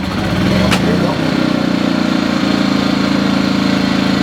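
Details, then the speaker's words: New EcoFlow Smart Generator 1800W gasoline, first pull-start after adding oil, no load, showing an estimated 13-hour runtime: brief pull-start rattle, then an even, steady drone with no hunting or misses. Normal no-load running. "it's okay obviously that's with no load on it but it's saying it'll run for 13 hours and it shuts down"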